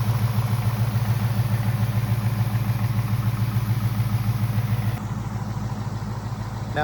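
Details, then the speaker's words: Mustang GT Coyote V8 idling after an oil change, let run 2-3 minutes off the ramp: deep, even burble pulsing about 200 a minute with no ticks or knocks; smooth, healthy idle. "When you hear it running really super sick and smooth like that, that's usually a pretty fres"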